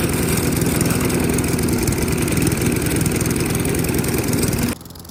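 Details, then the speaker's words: 1994 Murray mower, 3.8 hp Tecumseh TVS90, replacement carb after 20 years stored; runs but skips with a lumpy, uneven idle set too low, smoothed by raising idle with the screw at the carb bottom. "So it's running, but you can hear it skip a little bit, and the idle just isn't quite high enough."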